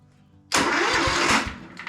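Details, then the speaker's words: Ride-on lawn tractor (estate car), no mower deck, cranking: starter churns the small engine at about five compression beats a second but it never fires; cranks but no start. "so then I tried to started uh-oh still nothing oh then I remembered you have to have the brake pushed in"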